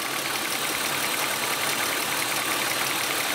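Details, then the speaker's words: Cheap E36 BMW M3 first start after revival, idle: light sharp ticking two to three clicks a second, quieter than before but still there; owner suspects a lifter, unconfirmed; smells of burning oil. "that tapping sound it seems like it's quieted down a little bit it's quieted down quite a bit actually well it's still definitely there it's hard to say i want to say it's a lifter"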